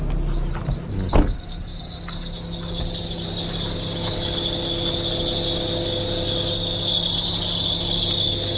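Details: Perodua Myvi, engine warm, air-con on: steady high-pitched squeal over even engine hum; slipping accessory belt, just before Toyo belt dressing spray was applied to the running belt.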